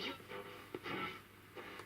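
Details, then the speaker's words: 1963 Ferguson Fieldfare Mk2 vintage transistor radio, restored from a collected set and with its battery refitted, tuning across medium wave: short bursts of station audio come through loud and clear; quite sensitive, little on long wave; normal medium-wave reception. "everything that I would normally get on medium wave round here that's quite sensitive not a lot on long-wave though"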